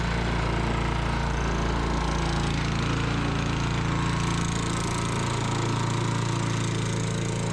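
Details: Sears Eager One lawnmower, Tecumseh single-cylinder, after makeshift connecting-rod knock repair with beer-can metal, throttle halfway: loud steady putter at constant speed, no knock on the firing beat; normal running.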